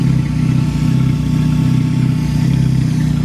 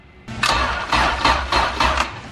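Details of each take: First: Acura sleeved GSR B18 turbo on AEM EMS after fuel filter changes, cams audible: deep, steady idle with even pulse, no knocks or misses; healthy, though it still needs a radiator cap and battery. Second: Acura sleeved GSR B18, a little cold, fuel pressure good: sluggish heavy cranking about twice a second, dragging, nearly catching but not starting; weak battery needs replacing.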